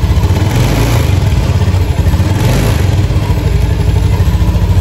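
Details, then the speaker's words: Honda Beat FI scooter after repair of rough final-drive noise: engine running and blipped with a steady low drone, no grinding; cause was a worn shaft bearing, now replaced. "Oke kita coba ini kita Nyalakan sudah tidak ada suara ngorok"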